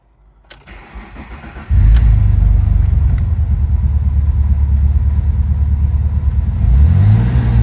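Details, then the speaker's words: Alfa Romeo GT V6, about 60,000 miles, performance exhaust, on a pre-service check. Brief crank, catches cleanly, then a steady, even, deep idle through a loud exhaust; smooth flat idle with all spark plugs firing properly. "yeah the idle's fairly smooth because he's got the performance exhaust on it you can't quite hear the engine node that well uh what I'm doing I'm just listening for like a smooth flat idle so you can hear all the spark plugs working as they should do"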